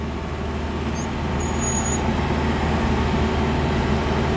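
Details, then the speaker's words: Wood-gasifier-fueled truck while driving in second gear with a little lag: engine holds a steady, fast, even idle far above normal with no hunting; idle set too high. "Oh, listen, the idle very high. Idle is extremely high. You can hear it, that's much higher than normal."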